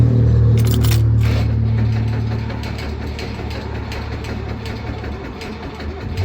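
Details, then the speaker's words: New Holland RG80 motor grader cranking after replacing the crank solenoid and cleaning starter mounting bolts: steady deep chugs nearly four per second, slowing slightly on low batteries; cranks normally. "batteries are a little bit low. Have to charge them up. But it's cranking, so that's all we're supposed to do. Sounds good."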